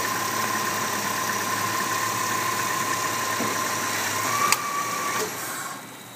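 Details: 2001 Subaru Outback L.L. Bean, previously misfiring on all but one cylinder, after ground repairs, with headlights, wipers and AC on: the engine idles steadily and evenly with no stumble or missed beats.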